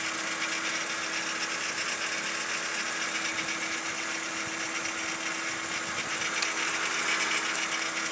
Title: BMW E46 rattling noise 2